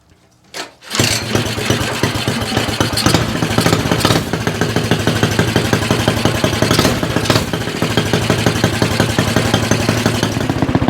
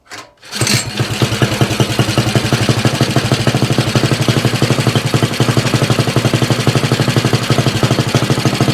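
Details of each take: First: Stock 196cc Axis/Coleman mini bike engine with Mikuni VM22 carb, aftermarket exhaust and governor delete: starts after a quick crank and settles into a steady, even single-cylinder putter with crisp throttle; healthy and responsive. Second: Axis M200 mini bike, 196cc single, 22mm Mikuni carb, aftermarket muffled exhaust, governor delete, cold start: lumpy uneven idle; runs rough and very rich at idle with black smoke, flat spot at mid throttle, before rejetting.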